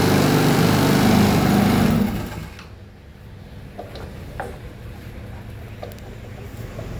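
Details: Motorcycle after clutch replacement: small engine runs evenly for a couple of seconds, then shuts off with no clatter; sounds healthy, normal running.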